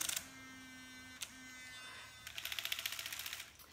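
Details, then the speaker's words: Lumispa facial device squeaks when pressed too firmly, especially at face edges, under bones or on the forehead: a steady, reedy buzzing squeak, broken once, then quick rattling ticks as pressure changes. "It has a little squeaky noise when you press too firmly. So, especially when you're coming into the edges of the face, or when you're coming in around underneath the bones or on the forehead, it's very easy to press too firmly."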